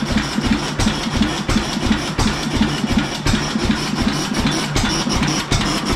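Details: Late-1920s 7.5 hp Fairbanks Morse Z hit-and-miss engine, borrowed magneto, rebuilt oiler: low, uneven chuffing pops over dull clatter, firing in irregular bursts as the governor coasts; running normally.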